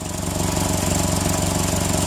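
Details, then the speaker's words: 2002 Toyota Tacoma with a repeated P0136 code after three downstream oxygen sensor replacements, idling, heard under the truck: quick, even puffing ticks in time with the firing pulses from a small exhaust leak ahead of the rear O2 sensor. "that's going in through this little bit of a leak which you can hear just that little bit of a leak which it looks worse than it is but it's enough of a leak"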